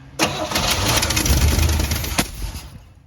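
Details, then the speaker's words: 1957 Chevy Bel Air, 350 crate V8, new Edelbrock intake and Rochester Quadrajet, four-speed manual, first start in years after fuel system repair: brief crank catches roughly, runs ragged two seconds and dies; ignition timing way off, needs adjusting. "I think our timing's off a little bit all right [Music] again yeah our timing is way awful have to adjust that"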